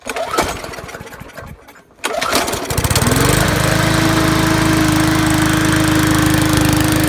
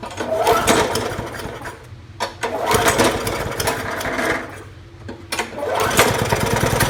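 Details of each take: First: 2012 Murray 20-inch push mower, Briggs classic 300 series engine, run without air filter after carburetor cleaning and linkage, tank and diaphragm work; a few pulls, then a steady even drone, normal running. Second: 2012 Murray 20-inch mower, Briggs & Stratton Classic 300 series, after unseizing and carb spray: engine surges and sags every couple of seconds. Uneven running from a carburetor/governor spring found bent backwards by tampering.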